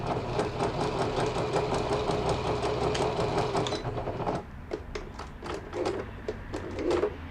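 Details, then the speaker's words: Repaired 20-year-old Janome Flare 810 computer sewing machine sewing quilting and half-moon pattern stitches at fast then slow speed: quick even needle ticking about three a second, then sparser stitches, free and smooth with no knocking. "반달무늬 바느질, 속도를 빨리 천천히, 대만산이라 해서 그런지 기계가"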